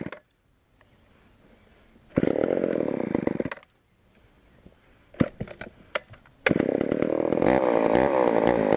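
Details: Homelite Super XL chainsaw on first start with secondhand non-ethanol fuel: it fires in short uneven bursts, stumbles and dies, then runs rough and hunting. Lean low-speed mixture; carburetor needs adjusting, or the diaphragm may soften.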